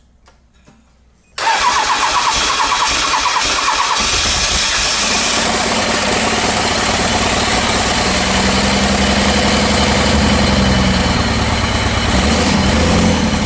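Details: Cummins diesel for a C40 truck build, fitted with second-gen adapter plate after a valve adjustment: cranks and catches into a loud, uneven clattering idle that never settles; runs rough, owner suspects cylinder 5, which tested low on compression (about 325 psi, under 350).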